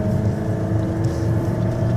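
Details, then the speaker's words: Toyota Altis 1.6 with 7-speed CVT automatic, manually shifted down to gear 2 on a steep mountain climb: loud, steady engine drone with constant hum at high revs under load; noise is a bit loud but normal for low gear. "2ปุ๊บก็จะขึ้นเสียงยนต์มันก็จะเสียงดังนิดนึงแต่ก็ไม่เป็นไร"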